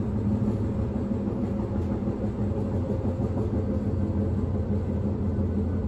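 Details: Inside a rolling 1991 S-Bahn Berlin BR485 railcar 485 112-7 on the S8, Schönfließ–Hohen Neuendorf: a heavy low rumble with a loose thump repeating about three times a second, from a severe wheel flat spot.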